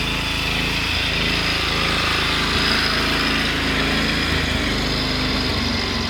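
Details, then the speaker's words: Cub Cadet 1100 small single-cylinder engine, a few gaskets replaced, idling with a steady, fairly quiet patter and a light rattle from a loose part, not a rod knock; no oil burning or smoke. "quiet but i'm pretty sure the thing doesn't have a rod knock because it hasn't had any"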